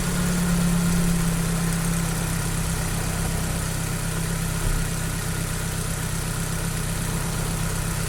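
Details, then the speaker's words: Engine idling after new platinum spark plugs and a rocker (valve) cover repair, started first try after sitting 15 days: steady, even idle with a smooth low drone, no knocks or stumbles; no leaks found. "Bon mais tu vois déjà, 15 jours ça démarre au quart de tour."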